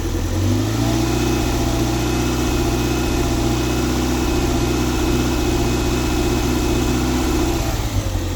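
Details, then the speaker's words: 1994 Toyota MR2 Mk2 GT Turbo (JDM), off the road since 2020, oil at 75°C: held near 2,000 rpm the engine hum dips and recovers, intermittently dropping from four to three cylinders; also suspected misfiring at idle. Intermittent misfire, cause unconfirmed. "It's still intermittently cutting one of the cylinders. You can sort of see it when I when I hold the revs constant rate about 2,000 RPM."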